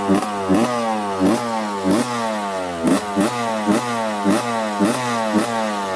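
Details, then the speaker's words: Reassembled 1991 Suzuki RM125 two-stroke with rebuilt carb: crisp crackle at fast idle with periodic blips, revving a bit high; owner plans to adjust fuel mixture screw, otherwise suspects an air leak. "I'm gonna adjust the fuel mixture screw a little bit and see if that changes the idle because this is Reverend revving up a little bit high otherwise there might be an air leak somewhere that might have to fix"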